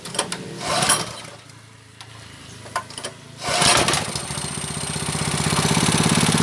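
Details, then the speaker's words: Honda GX160 5.5 hp water pump engine, unused about a year, spark plug keeps blacking, plug cleaned: after handling noise it settles into a steady, even idle with no misfire or hunting; normal idle, governor working. "So the stationary position is like this. It feels better ."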